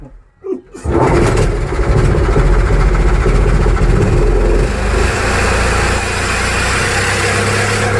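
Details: Mitsubishi 4D32 diesel after rebuild with main bearings and crankshaft assembled into the block: a brief crank, then it catches and settles into a steady, even clatter with a rev partway through and nothing odd on top.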